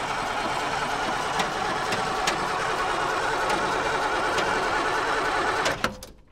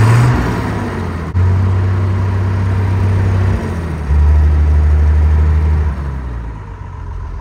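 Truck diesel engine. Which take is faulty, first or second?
first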